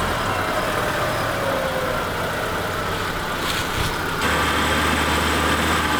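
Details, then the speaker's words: Car with rear drum brakes, front jacked up, run in gear up to about 70 then put in neutral and shut off; steady heavy roar with no clear knock, owner suspects the transmission, gears audible when crawling slowly; unconfirmed. "all right so I actually think the noise is in the transmission and I kind of kind of was weary of that at first because anytime you're crawling along really slow you can hear like gears run"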